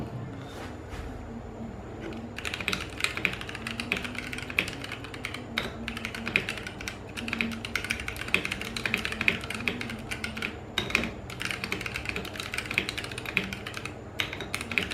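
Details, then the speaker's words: Vortex POK3R LE keyboard, lubed Gateron Brown switches, band-aid modded stabilizers, custom case, cherry profile keycaps, during a 64 wpm typing test: rapid, soft, muted clacks, no ping or rattle; quiet, well dampened. "that's how it sounds it sounds pretty quiet like dampened down essentially"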